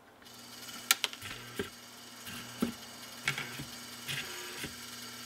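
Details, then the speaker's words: Vintage, likely 1940s–50s Rittenhouse 8-note long tube door chime after servicing, motor-driven drum tabs triggering switches, light clicks and soft taps of solenoids energizing, no grinding or buzzing; normal chime operation. "and if you listen really carefully and i'm going to try to be really quiet you might hear the solenoids actually activating as they are energized"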